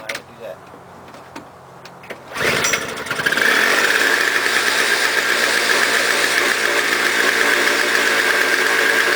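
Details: Toro CCR 2000 single-stage snow blower, 4.5 hp two-stroke, after carburetor cleaning; smoked from very old gas backed into the cylinder; fires at once, warming up to a steady even high buzz, no misses or surging; normal running.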